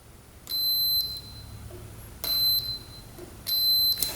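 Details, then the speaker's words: 2001 Arctic Cat 300 4x4 ATV fuse check: multimeter gives three clean high-pitched half-second continuity beeps in a quiet room; 10 amp ignition, lights and accessory fuses are good. "Take our multimeter. And if we hear a beep, we should be good."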